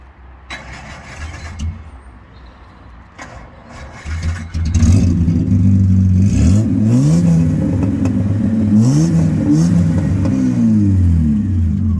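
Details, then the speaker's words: 1974 Jaguar XJ6 Series 2 long-wheelbase, XK engine, about 54,000 miles, starting and revving with a blown exhaust: loud raspy chuffing exhaust rising and falling with revs, likened to an XK120. "it still drives great unfortunately it's kind of got a blown exhaust at the minute but start it up why not sounds like an XK 120 is what it sounds like"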